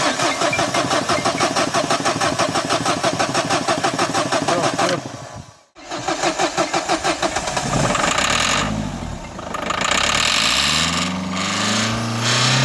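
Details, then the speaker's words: 2011 Dacia Sandero Stepway, 1.5 dCi diesel, at the workshop. The starter spins at a steady rhythmic churn but never fires: cranks, no start. The rail pressure sensor was found faulty: fuel pressure reaches the engine too high, but fuel is not delivered into the cylinders. "Yakıt basıncı fazla geliyor motora ama yakıtı silindirin içine vermiyor."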